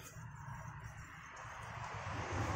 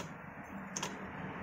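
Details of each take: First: Motorcycle disc brake after new aftermarket pads ticked because the pad sat loose; after refitting snugly, the spun wheel whirs smoothly with no ticking. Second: Motorcycle disc brake with new generic-brand pads, wheel spun: sharp metallic tick over a low hum. The pad is loose between its upper and lower seats and knocks against the caliper bracket as the disc turns. Fix: pack the pad seat with tape or thin hose.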